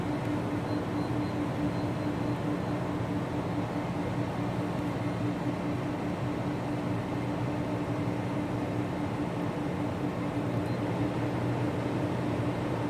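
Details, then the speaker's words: Danby Idylus 12,000 BTU portable air conditioner, first run of the year in April: steady fan rush with even compressor hum and constant low tone, no rattles or cycling. Normal running. "i'm about to start it up for the first time so let's go ahead and turn it on compressor started up"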